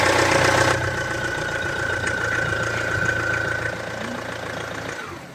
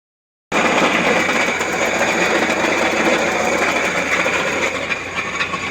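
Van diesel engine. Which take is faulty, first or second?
second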